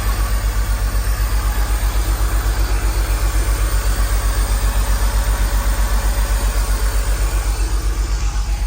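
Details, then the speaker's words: 20-year-old high-mileage neglected BMW Z4, started to warm up before an oil drain: lumpy, uneven idle pulsing about four times a second; not running smooth, owner suspects not firing on all cylinders. "so I'm hoping you can hear that it's uh it's really not running that smooth at the moment"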